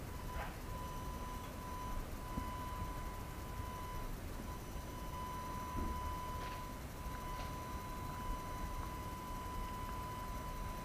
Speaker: again I'll uh have you listen to what uh sound the gimbal or the motors of the gimbal produce and um you'll have to see for yourself if that's a problem for you or if it's not